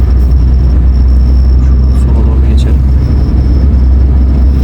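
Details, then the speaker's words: Nissan Primera P11 after gearbox repair for a noise that stopped when the clutch was pressed (clutch release bearing suspected): steady, even low rumble in neutral with the clutch released, no whine or rattle. Gearbox now normal. "Deja basıyorum boşken ses yok arkadaşlar aracım düzeldi"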